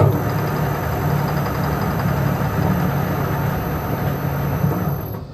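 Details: Restored Powermatic 90 wood lathe with a new motor on a variable frequency drive with forward/reverse control: a steady low hum with an even, smooth tone and no knocks, rattles or grinding. The motor runs healthy.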